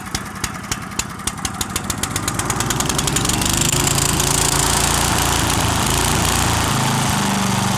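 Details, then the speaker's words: 1963 Bolens Husky 600 lawn tractor engine on 10-year-old fuel, off choke: quick separate pops climbing fast into uncontrolled flat-out roar; runs away because throttle linkage to governor is disconnected. "so our throttle the reason why it's racing away when i take it off choke is the throttle linkage isn't joined on and this is just floating in the wind"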